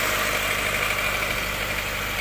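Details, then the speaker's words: Proton Wira with a charging complaint, idling after the crank pulley was marked: a thin, high whir over the engine; the marks show the main pulley damper's outer ring has slipped, a faulty crankshaft pulley. "Kalau dia lari, bermakna dia punya main pulley dah bermasalah."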